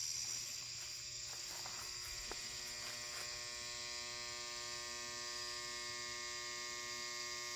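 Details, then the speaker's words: 400W HPS Hubbell flood light: a steady, even electrical hum with a bright buzzy edge from the ballast while the lamp warms up; normal. "you guys can hear that humming from the ballast getting pretty bright"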